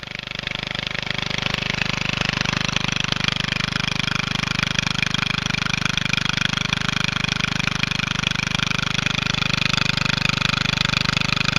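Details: Small engine on a Statesman MTD lawn tractor, run with the exhaust removed after a seized, clogged exhaust built pressure and stopped it turning over: loud raw even crackle with no muffler, steady speed, no misses; normal running.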